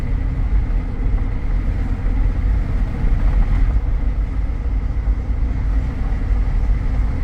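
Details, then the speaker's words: 2014 Jeep Grand Cherokee Limited 4x4 automatic, known for the 3.6 tick, on a test drive near 60 mph: steady, even road and engine drone with no suspension noise, clunks or grinding, good acceleration; normal highway cruise. "But this is driving really well. It has good acceleration."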